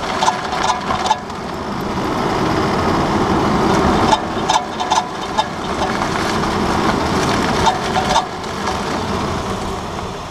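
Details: 2009 Nissan Murano LE, front left wheel: sharp irregular rattling clicks only during hard right turns at 10-15 mph; owner suspects the splash guard between steering knuckle and wheel hub, not confirmed.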